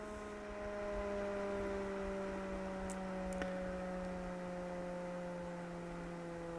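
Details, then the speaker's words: PWM-controlled extractor fan on a 3D printer enclosure running at reduced speed, about 2200 RPM at 26 degrees, easing lower as the temperature drops. A smooth, even hum drifting slowly lower in pitch: healthy reduced-speed running. "there we go the starting straight away but it's not full power"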